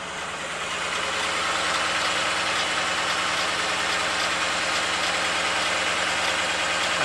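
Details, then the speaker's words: 2008 BMW 318 at idle with intermittent misfire and engine light: diagnostic software fires each injector to induce misfire, giving an uneven lumpy idle loping about three times a second with the car rocking; injectors later condemned. "it's a juicy mix fire now and each of the cylinders that's why the camera shaking as the cars rocking side to side"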